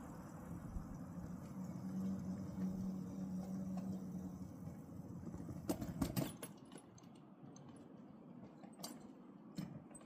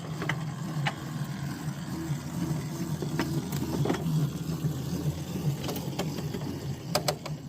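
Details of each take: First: Mill Brook Railroad, car 101: soft rolling rumble, then sharp metallic clunks and bangs as both front-truck wheels drop off the rail; derailment. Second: Mill Brook line in cold weather, train entering a siding: sharp isolated snaps over low rolling rumble as wheels cross the switch points and frog; normal switch clicks.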